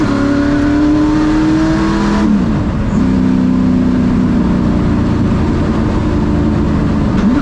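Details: Ford Thunderbird NASCAR stock car (Hooters) on test drive after reinstalling the starter and re-gasketing/tightening the headers: loud V8 pulls hard with a steady climbing note, drops at a shift near two seconds, climbs evenly again; runs great, plenty of power.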